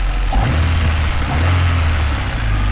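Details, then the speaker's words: 200,000-mile Honda Civic 1.6 VTEC petrol, first turn of the key: short, steady, even idle hum with no knocks or rattles; no smoke or oil burning, sounds healthy, normal idle. "First turn of the key, no problems. It sounds healthy. It really, really does sound healthy. You'd think that this car's done a quarter of the mileage that it has."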